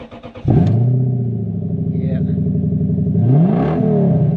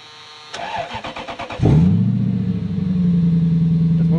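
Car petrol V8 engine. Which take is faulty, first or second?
first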